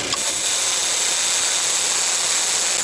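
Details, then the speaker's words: Van (LT 2.0) with noisy AC compressor, AC switched on at idle: compressor quiet with AC off, loud hissing whir with thin high whine once AC engages; noisy AC compressor. "เปิดแอร์ค่ะเปิดแอร์คอมมีเสียงดังชัดเจนนะคะ"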